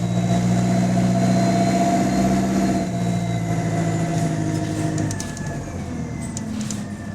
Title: Exhaust Leak | GAL SE152 On Bus Route 386 Part 2 (17)